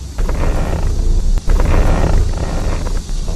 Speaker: 打方向有异响，明明很好解决，但是你去修理厂，你猜他敢收你多少钱？